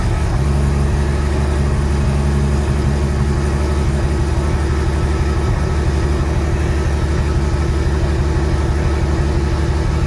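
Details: Sunseeker XPS 25 powerboat, BMW B220 engine, running on the muffs after priming the fuel filter water separator pump: deep, steady rumble holding an even rhythm with no misses or stumbles. Normal running.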